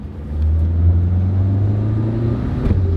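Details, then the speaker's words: Basic compact car with crank windows: the engine pulls hard on take-off, then a sudden jolt and clunk as it slams into second. It also clunks into reverse and clunks on every shift; the automatic transmission is going out. "when you take off shifts like a joker you can hear that thing slamming in the second gear"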